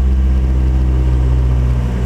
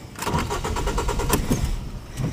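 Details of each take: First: 2005 Ford Focus after fuel filter replacement, fuel pressure relieved by pulling the fuel pump fuse and refitted; restarted quickly despite drained lines, steady even low idle hum with no misses or knocks; normal idle. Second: 2005 Ford Focus with a fuse pulled cranks rapidly and evenly for about two seconds without catching, to bleed off fuel line pressure before a fuel filter replacement.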